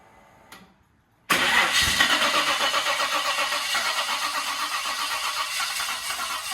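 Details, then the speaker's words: Holden VL Turbo with RB30 engine, first start attempt after install: steady starter cranking at about four turns per second that never catches; cranks but no start for lack of fuel, which was then added. "Might need some fuel. Go on. Temp 2, we put some fuel in it, so good to go now."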